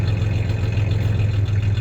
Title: 1993 Ford Ranger 3.0 v6 idling with a slight misfire, along with a little rev